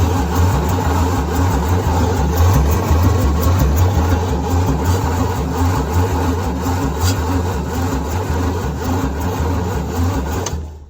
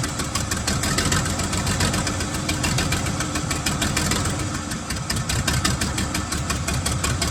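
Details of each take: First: 1975 White 2-150 tractor, 585 cu in (nearly 10 L) diesel dormant 19 years, big old starter: heavy, sluggish cranking at about three laboured compression beats a second, then stopping; still not spinning quickly, small leads getting hot, owner plans to jump from another vehicle. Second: 1975 White 2-150 tractor, diesel, first run after about 19 years dormant, before a muffler was fitted: loud, rapid, even firing with a raw exhaust bark and a steady idle; running smoothly.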